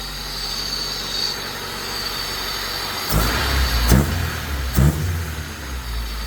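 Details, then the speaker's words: Honda Civic EG3 with Mini-me VTEC head swap and P28 ECU on a stock map, sat unused, first start after swapping positive cable and battery from another car: steady low idle with a couple of firm throttle blips, smooth, no knocks or misses; normal idle. "It sounds good. Now I'm relieved. Finally the engine started. And it started easy."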